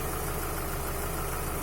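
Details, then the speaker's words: 2007 Chevrolet Lacetti 1.8 petrol at idle: a quick, light clatter pulsing through the rumble. Hydraulic lifters or the intake manifold flap are suspected; a connector is to be unplugged to compare the sound. "Так, завожу машину. Не знаю, дай на камеру чути чи ні. Таке терехтіння трошки, не так погано чути."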